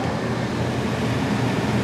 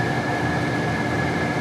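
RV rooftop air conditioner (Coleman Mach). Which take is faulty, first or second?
second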